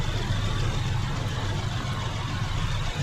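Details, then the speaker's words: After fixing the spark plug and fitting a new ignition coil to cure P0301 cylinder 1 misfire, the engine idles steady and even with no vibration; scanner shows zero misfire count, fuel trim and RPM back to normal. "the engine has no vibration anymore foreign nice it's very smooth"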